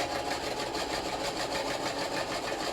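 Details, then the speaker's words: Sewing machine shirring with elastic in the bobbin, after the dropped bobbin was refitted and the cover put back: fast, even stitching hum with a thin squeak from the bobbin, while shirring starts to form. "can hear that the bobbin doesn't like, you can hear it squeaking."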